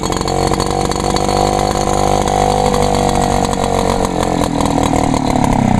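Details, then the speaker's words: Echo PB 400E blower, choke-only start with no primer. Loud, high two-stroke buzz holding strong, steady revs with only a slight pitch drift: healthy normal two-stroke running, runs good. "oh well she runs good anyways"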